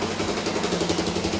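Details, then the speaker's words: Revived budget ATV quad with a JB-Welded cracked case, cleaned carb, checked valves and new rear axle assembly: small single starts right up in neutral and settles into a steady, smooth, quiet idle with no knocks or rattles. "Very quiet now, too. There was a little burnout, but yeah, runs great."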